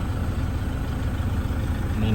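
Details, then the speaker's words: 2013 Toyota Hilux Vigo Champ, 2.5 VN turbo diesel, manual: low even diesel clatter at steady idle after start, no hunting or misses, engine running quiet and smooth without shaking. "เครื่องนิ่งๆไม่สั่นนะครับเครื่องเดินเงียบ"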